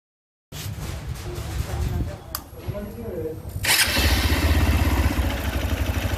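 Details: Hero XPulse motorcycle at 1100 km: fires up to a fast idle with a light, uneven tick about four a second; service center called it tappet noise, owner doubts this on a new bike; cause not confirmed.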